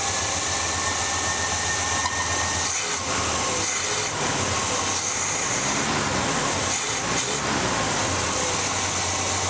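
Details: 1978 squarebody truck after a Quadrajet carburetor rebuild and new ignition: steady, even running under a loud hiss with no misses; running healthy.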